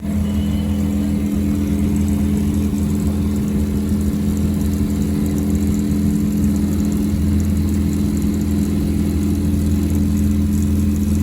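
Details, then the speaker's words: Gas combi boiler unserviced for about 8 years runs with a loud, steady motor drone, strong low hum and buzzy vibration. The fan motor is unbalanced by dust-caked blades, and cleaning them quieted it. "arkadaşlar yaklaşık 8 senedir bakım yapılmayan kombini fan motorundan ses geliyordu fan motorunun kanatlarındaki toz tabakasını temizledik"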